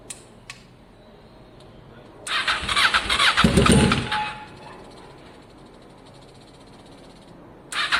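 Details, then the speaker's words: Kawasaki ER6 cafe-racer project, abandoned for years, first start after ignition work, no silencer: the engine catches straight away and barks loudly through the open pipe for a few seconds, then settles. Ignition confirmed working, healthy start. "So that is, of course, extremely good news. It fired up. That means our ignition system is currently working."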